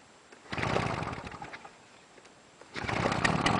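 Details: Fire-damaged Victa Tilt-a-Cut two-stroke edger, carb not cleaned: two bursts of buzzy revving holding steady with slightly ragged note; owner thinks too much oil in mix; runs fine.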